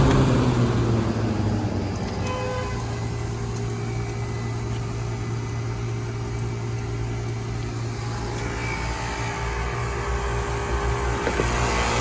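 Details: Old KKT chiller after contactor replacement, condenser fans running in pairs; steady even low hum with constant fan whir, no knocks or rattles; normal chiller operation.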